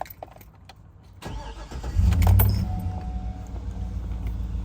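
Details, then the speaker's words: 2011 Cadillac Escalade V8 with magnetic suspension, no dash alarms: brief crank then a smooth startup into a steady idle with no weird noises; about 15 seconds later a brief noise in the back, thought to be the fuel pump, possibly the air compressor. "Nice smooth startup, no weird noises."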